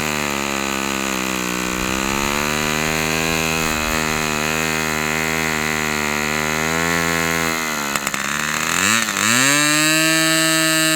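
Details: Fox Twin glow engine, glow igniter left on throughout: strong even high buzz, dipping then climbing cleanly to higher pitch, running strong.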